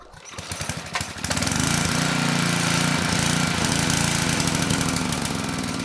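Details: Tecumseh HM100 10hp engine on a Western Hemisphere 6,000 W generator, after topping oil to ~500 ml: starts with uneven chugs, then runs steady but slow. Governor spring tension is adjustable; carb and needle-and-seat need cleaning first.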